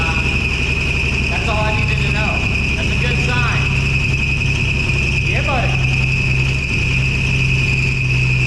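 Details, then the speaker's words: 1965 Ford F100 truck, first start after 13 years sitting, running on its own fuel pump and carburetor with working choke, oil pressure and charging: a steady high-pitched squeal rides over the rough idle; squeal on start-up. "it's got oil pressure the alternator is charging there's a horrible squealing noise but I'm going to look into that in a second"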